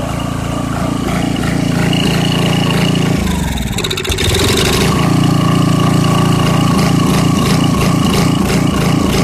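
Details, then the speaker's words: 1989 Briggs & Stratton 5hp 13 cubic inch single-cylinder, 6:1 gear reduction, off a dethatcher, sat about three years; first start, needs some choke, idle surges and dies off choke, main jet probably slightly obstructed, carb may need cleaning. "it started right up and it's running it's surging a little bit if you take it off choke all the way it wants to die which means the jet is probably slightly obstructed"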